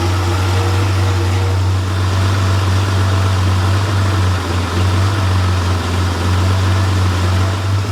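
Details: Freshly rebuilt Porsche 911 air-cooled 3.0SC flat-six built to 3.2 short-stroke specs, warm on a test stand: steady, even low hum at idle, no knocks or misses; muffler has a loose baffle that may resonate; healthy.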